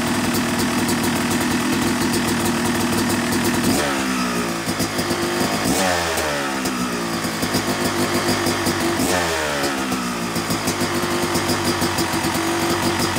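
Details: Yamaha YZ250 two-stroke motocross bike (270cc/250cc), break-in after full engine rebuild (bottom end, transmission, bearings, clutch, power valve); crisp ringing idle with clean blips climbing and falling smoothly back to steady idle; normal, healthy.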